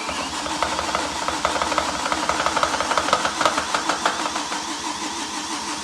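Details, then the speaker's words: BMW E31 with swapped S85 V10 on SCS Delta 880 standalone, first start after nearly ten years: starter cranks steadily, about three compression pulses a second, never catches; fuel pressure reaches the rail but owner suspects injectors aren't getting power to open. "so there really isn't anything that should stop this from working except perhaps and I haven't done this yet is that yeah I've got fuel pressure going into the rail but the injectors aren't opening"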